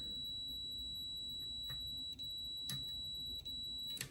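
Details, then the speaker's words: Bench test of a Gottlieb System 1 MPU board from a 1979 Count Down pinball: chime output on buffer chip pins 5, 9, 11 triggered through the switch matrix, a clean steady high tone with light switch clicks, slight delay after the press; working normally. "So you can hear the difference in the time you push this to the time it outputs it, which is the tone."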